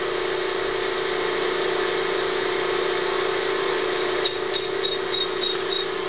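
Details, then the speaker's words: Motor hum with a light rhythmic tick about three times a second as the cutting tool touches off only the high spot of a slightly out-of-true streamliner hub on the machine, before a 0.001 in truing cut; out-of-true hub, intermittent tool contact. "as you can hear this is slightly out"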